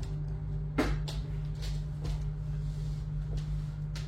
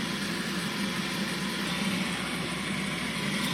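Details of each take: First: Bosch dishwasher after replacing a wrong, sealant-patched circulation pump that caused a leak error. Auto program: steady low pump hum with soft splashes and knocks from the spray. Normal washing. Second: Bosch dishwasher: constant unchanging hum with no cycling or splashing, leak error; wrong circulation pump fitted a year earlier with joint sealed by glass sealant, now leaking into the base.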